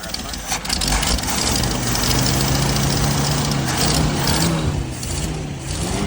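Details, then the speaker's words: 1979 Jeep CJ5 sitting since 2019, after fuel filter change, fuel in tank possibly stale: loud uneven idle that wavers and stumbles, smells terrible; runs poorly, cause not confirmed; rough idle. "yeah it's running pretty crappy so go ahead and let us see if can Sho on this jeel for a little bit see what it does give it a idle"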